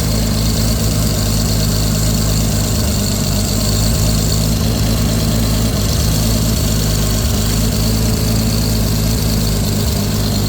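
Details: Lexus IS300 with a swapped 2JZ-GTE on a Fueltech FT550 ECU and a base tune, first start-up, idling while timing is set at 10°: steady, even idle with a smooth low hum and constant pitch; sounds settled.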